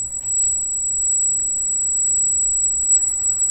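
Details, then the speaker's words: Freshly installed Arris CM2000 brushless gimbal with GoPro Hero, powered by external supply via spliced Deans connector: constant thin high-pitched squeal, steady and unchanged; motor whine that the owner calls part of the setup. "but yeah it squeals but it's steady"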